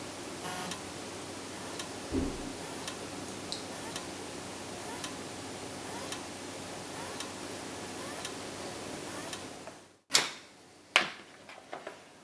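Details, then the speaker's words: Toshiba 2TB USB 3.0 external hard drive: faint steady clicking about once a second over soft hiss, caused by the failed USB-to-SATA adapter, not the drive; the drive works with files intact when connected directly. "So even though it was clicking, it was doing these sounds that would be very indicative of a dead hard drive."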